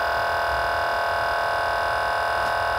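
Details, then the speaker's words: Tandy Portable Disk Drive 2 (TPDD2) accessed from TS-DOS: steady high whir with no seek clicks; the drive motor spins uncoupled from the disc because the old belt has rotted apart; broken drive belt. "we hit f4 and sure enough that telltale sound right there is the sound of a drive motor spinning but completely uncoupled to the disc"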